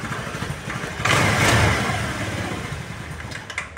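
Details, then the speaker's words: Honda Vario 110 (KVB) scooter, carburetor not yet disassembled, restarted at idle: engine catches, surges briefly, then sags and stumbles unevenly, nearly stalling. Unstable idle before carburetor service; the air screw setting and choke are faulty. "Ya, hampir mati dia kan. Nah, ini rasamnya dia juga sudah ginjal-ginjal ya, enggak stabil."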